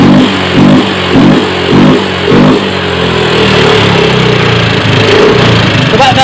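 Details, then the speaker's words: Yamaha Mio 125 / M3 FI scooter with a very rough engine: a harsh, uneven clatter at idle with a pulsing beat about twice a second. Valve train damage (worn rocker, bent valve) from oil starvation. "Oke kawan ya nanti akan kita periksa poinnya suara ke matak itu sumber penyebabnya banyak karena di dalam mesin itu kaitan besi dan besi besi dan besinya bisa bekerja dengan baik atas dasar ada pelumasan oli"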